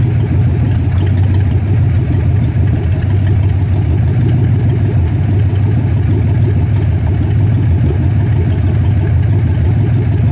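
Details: 1964 Dodge Polara 500 V8, parked since 1978, started cold after five months of work with the choke not yet set, a new heater core and a repaired radiator: deep, steady, even idle rumble with no knocks or misses.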